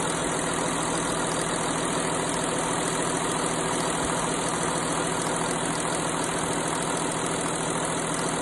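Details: Audi A6 C7 at cold start; fast rattling tick about twice a second over steady engine hum at idle, owner suspects timing chain rattle; engine rattle on cold start.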